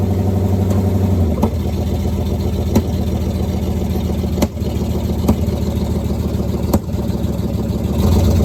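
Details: 1969 Pontiac Firebird with original numbers-matching drivetrain, first run after sitting since 1994, creeping on the parking brake only: deep, steady V8 rumble holds even through blips and load changes, no misses or knocks; normal running.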